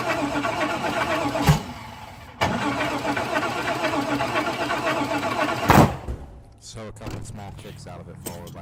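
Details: Chevrolet Caprice torn down to short block and reassembled, fuel in oil from failed starts, intake not yet fitted; steady rhythmic cranking about four turns a second that never fires, cranks but won't start.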